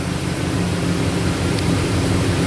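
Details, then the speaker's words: 2001 Dodge Dakota 4.7 V8 with a P0171 lean code, at a warm idle. Loud raspy hiss and puffing from an exhaust leak, suspected on the driver's side bank. The left O2 sensor reads lean, with higher fuel trim on that side. "let's probably to go see where this exhaust leak is it sounds to me like it's on the driver's side but it's loud"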